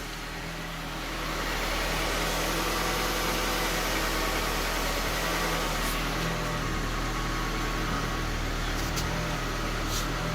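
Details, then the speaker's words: 1998–2002 Honda Accord 4-cylinder after power steering pump replacement, with fluid topped up and the check engine light cleared: steady, even idle with a smooth low hum and no pump whine; normal idle. "now the moment of truth about to start the vehicle and have to add just a little bit of power steering fluid not much and we also cleared the check engine light because that was on for the power steering no noise at all"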